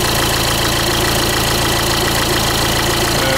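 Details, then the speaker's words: Renault Trafic / Opel Vivaro 1.9 dCi diesel at idle with a sharp, even knock every turn, loudest near the passenger seat and timing-belt side. Crank pulley bolt is tight. Pulling injectors one by one weakens it but it stays from below. Con-rod bearing suspected, unconfirmed. "при снятии по очереди фортунок звук вроде бы становится слабше но он не пропадает полностью то есть он остаётся снизу очень отчётливо слышно"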